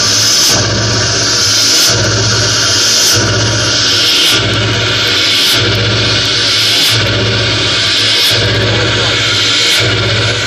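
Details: Ford Powerstroke diesel started cold in snowy weather: rough running with a repeating whooshing sneeze about every 1.3 seconds. It sneezes for about the first 2 miles of driving when cold; cause unknown.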